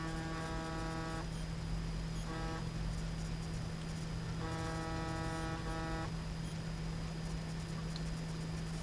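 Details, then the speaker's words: Zenith 6S229 vintage radio electrodynamic loudspeaker driven by a signal generator, field coil loaded at about half: short test-tone bursts buzzy and harsh over steady hum, from damaged paper cone and loose surround and gasket; lows worst, highs not too bad. "you can hear the loudspeakers definitely compromised by the defects and the paper comb and the surround and the gasket being loose so if i were to use the loudspeaker in the condition it is the sound quality would be terrible"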